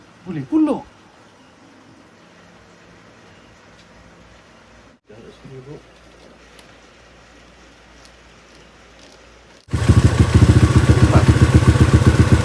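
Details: Motorcycle after full-spec build with clutch conversion, running in gear after the clutch initially wouldn't free the wheel: quiet at first, then the engine catches and runs loud and fast with an even, steady beat; sounds healthy.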